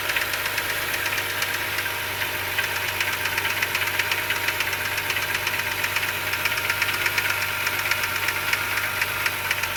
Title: 2007 BMW 328i with rod knock